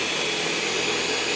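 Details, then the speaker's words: EcoVacs Deebot X9 Pro Omni robot vacuum on carpet with carpet boost on (optional setting): steady high airy fan rush with faint whistle, suction running hard and even; normal carpet boost. "And so the vacuum is going stronger now for the carpet. And that's in the setting you can have on or off."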